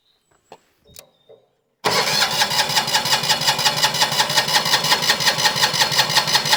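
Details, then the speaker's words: Winget mixer single-cylinder diesel, unused for a couple of years; the starter cranks steadily at nearly three strokes a second but it never fires, and no diesel reaches the injector, with a fuel pump fault suspected. "Right. She's spinning over pretty well. So, the first thing I'm going to do, I'm going to crack off the injector line up here and just see if we get any diesel up to that injector."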